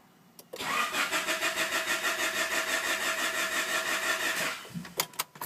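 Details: Honda H22A engine cranks but won't start: starter churns in an even beat for about four seconds with no firing or catch, then stops.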